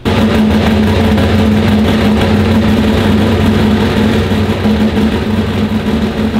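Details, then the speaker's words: Turbo Trans Am of about 1200 hp on the dyno: a long, heavy, laboured pull where the revs hang flat and never swing up as they normally do. Boost isn't building because the wastegates are being held open. "click the button super labored you guys probably hear it like normally when you let go the button you know you get that big swing up in RPMs"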